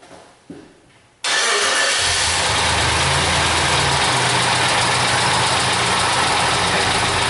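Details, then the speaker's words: 1999 Suzuki Grand Vitara at start-up: busy idle with a dry, diesel-like valvetrain and lifter clatter that quiets as oil pressure comes up. "sounds like a diesel okay where are we at here got our Bank One Sensor One there she go she's quiet it down now she getting a little oil pressure"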